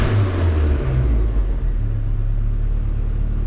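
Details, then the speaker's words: Nissan Hardbody simple turbo truck, suspected of rod knock, held at about 3000 rpm: a deep, uneven rumble with a ragged, stumbling exhaust pulse. It is breaking up from a very rich mixture. "That was super rich. Hella rich, dude. Oh. Yeah, that's at like 3,000 RPM."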